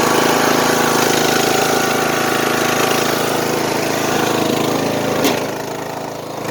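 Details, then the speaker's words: Old riding lawn mower single-cylinder engine, over ten years old and neglected without oil changes, running rough and smoking: faint regular knock about four a second with misfiring, blamed on lack of oil, not confirmed. "so that just goes to show you what happens when you do not change your darn oil you'll get knocking in the engine which you could hear that a little bit of a knocking noise"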